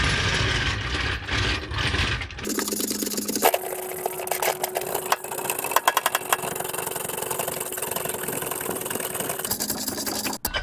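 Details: PX Ford Ranger on blocks with wheels spinning, checked in 2WD and 4WD: spinning driveline with harsh rattle and clatter and a steady tone, stopping abruptly; traced to damaged rear difflock actuator wires.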